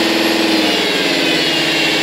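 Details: Alfa 156 2.4 JTD 10V 136 hp diesel at idle: a steady, high whine from the auxiliary belt area rides over the idle clatter with no change in pitch. The source is still unknown.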